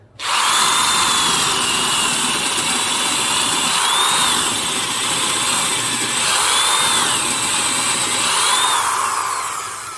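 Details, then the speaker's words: Older American-made Milwaukee drill with helical-cut gears, bit pressed hard under load: a steady high motor whine holds pitch with no bogging, grinding or gear rattle, quieter than the Rockwell #4185; the gearbox sounds healthy. "You can also hear that it doesn't bog down as much."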